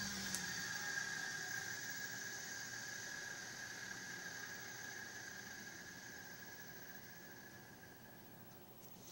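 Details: Older Electrolux vacuum with new cord, switched off via roller switch: high whine fades smoothly over about nine seconds in a long wind-down, no grinding or rattle; normal motor wind-down.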